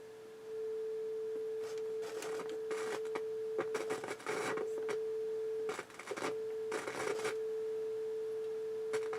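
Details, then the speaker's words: 1981 Realistic STA-2250 receiver fed a test tone into a pair of speakers: the steady tone breaks up into crackly, scratchy bursts on both channels, with background hiss in the phono stage and some signal bleeding through. Scratchy, dirty controls. "channels very very scratchy very dirty controls phonal stage you can hear the hiss the background hiss but some signal bleeding through"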